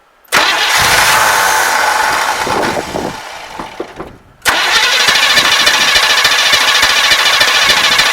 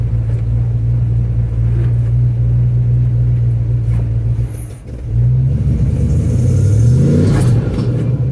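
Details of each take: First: 1974 Chevrolet Custom Deluxe 3/4-ton pickup, sat for years, first start attempt: starter spins with even compression pulses, stops, cranks again without catching; no fuel reaching the carburetor, probably none from the tank, fuel starvation. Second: 1974 Chevrolet Custom Deluxe 3/4-ton pickup, sat for years, running on its own: steady low rumble with a slight revving swell near the end, no knocks or misses; runs great.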